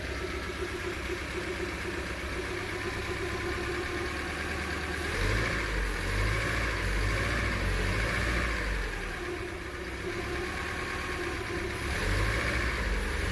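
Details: 1996 Daihatsu Zebra Astrea Jumbo van, 1300 cc SOHC 16-valve, carburettor and points ignition, government-maintained: steady even idle with smooth low hum, no knocks or ticks; healthy engine.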